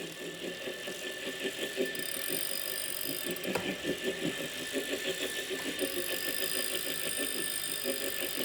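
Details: Wahoo Kickr Core bike trainer: a rough pulsing grind with a steady high whine from a bad bearing, later solved by replacing the bearing.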